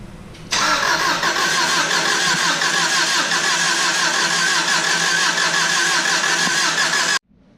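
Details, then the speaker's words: Subaru daily on first startup after head gaskets and clutch, engine reinstalled: starter churns evenly about three times a second for seven seconds and never catches; fuel hoses were swapped by mistake so no fuel reached the engine, hoses to be swapped back. "So me and Isaac had a little bit of a miscommunication on the fuel hoses. That's why it wasn't turning over, so we got a little swaparooski going on."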